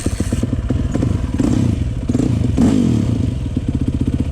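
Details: 2003 Yamaha YZ450F carbureted four-stroke single, bought as a project that reportedly only started with starting fluid after a carb cleaning; already hot, a few kicks then quick regular thudding catches and keeps running, clean warm start on the hot-start lever.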